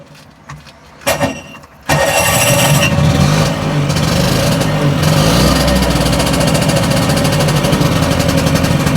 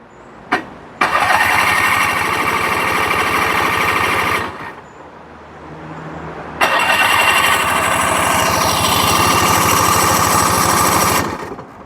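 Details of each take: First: Two-stroke tuk-tuk after replacing the burnt starter relay with one from an Audi and reattaching a vacuum pipe to the carb: catches at once and settles into a steady, slightly uneven buzzing run; now starting reliably, carb may need tickover adjustment. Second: Roughly 27-year-old tuk-tuk with a freshly fitted, unstrapped battery: two bursts of fast, even starter cranking at about three turns a second, with petrol smell but no catch; it cranks but won't start.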